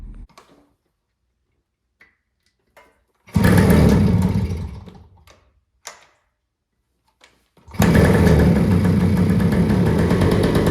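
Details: 1974 Kawasaki MC1 two-stroke after fitting a new spark plug: it fires briefly and dies, then restarts and settles into a steady, crisp run with no misfires. Running properly.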